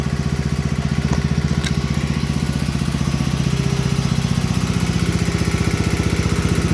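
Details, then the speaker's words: 8hp Kohler K181 single-cylinder on 1971 John Deere 110 after head gasket replacement: steady even thumping with no misses or knocks, plenty of blow-by, possibly slight valve tick; runs much better without the head gasket leak. "But here it is, running. Plenty of blow by, like all Kohlers."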